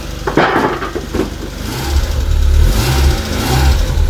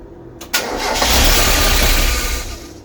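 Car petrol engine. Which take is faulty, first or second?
second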